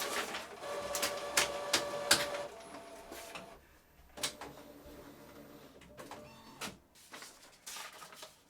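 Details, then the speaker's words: Epson EcoTank ET-16600 automatic document feeder after stripdown and repair: bursts of whirring and clicking as feeder runs and pauses, no grinding or slipping; normal document feed. "All right, that's it working."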